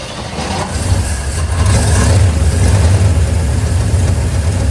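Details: 1972 GMC C10 V8 pickup, sat unused for years, running with fuel pump fed from a can of gas: deep, even rumble swelling on throttle blips and settling, no misses or knocks; ran pretty good though very smoky.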